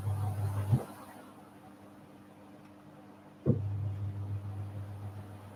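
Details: Simpson Esprit 550 washer (serviced after a minor spin fault), timer on extra spin increment before warm spray rinse: low smooth motor hum drops out briefly, restarts evenly, no grinding or banging; normal healthy spin cycle.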